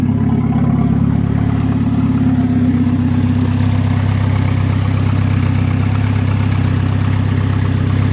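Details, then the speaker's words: Swedish turbo car, cold start at −8 °C: a low steady idle drone that wavers slightly; owner thinks one cylinder sounds a bit low, not firing properly; cause not confirmed. "well i guess it was running on all the cylinders properly we wouldn't had a problem one cylinder sounds a bit low"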